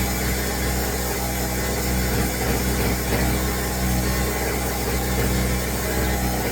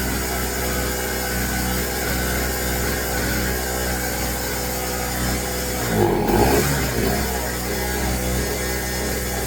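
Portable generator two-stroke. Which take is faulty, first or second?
first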